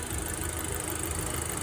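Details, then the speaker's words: Audi A4 B7, fully hot idle, oil pressure gauge fluctuating 12–20 psi, owner suspects low oil pressure or a clog; engine shaking slightly, dull even diesel-like clatter over low rumble; clatter at idle, cause unconfirmed. "Sounds like it's running like a diesel sort of. I mean, it is idling and it's idling sort of smooth."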